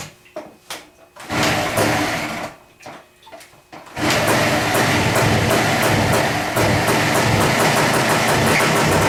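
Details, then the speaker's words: Bike with bad carburettor floats set high to stop flooding: a few uneven blips, then a fast, steady, thin hunting run. Running lean, so the least throttle makes it stop running. "And when you hit the throttle, it wants to, where it's in that lean condition, it's not enough to run the bike proper, if that makes sense. You can give it just the least amount of gas and it won't run."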